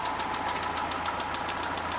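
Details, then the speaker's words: Daewoo Lanos 1.5 engine at idle: sharp, evenly spaced metallic knocks about seven a second, worse on throttle, not cured by replacing all hydraulic lifters; head removal showed a damaged piston; piston knock. "Стук не ушел. Когда газуешь, еще вот хуже. Тарабанит."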